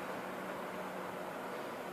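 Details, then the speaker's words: Honeywell tower fan after opening and lubricating the motor: a soft, steady airy whoosh with a faint low hum and no squeak, scrape or start-up hesitation. Fan running normally. "See, this time it didn't hesitate at all. Just a little lubrication."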